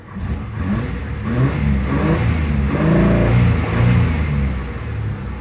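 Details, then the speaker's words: '93 Chevy Blazer that had been backfiring, spluttering and dying, run with the air cleaner removed: free revs climb, then flatten and stumble near the top instead of reaching a clean peak. High-rpm misfire or fuel starvation is suspected. "now that just seems like kind of falls out of the top there but it's done that a lot I've never really had it up the high rpm"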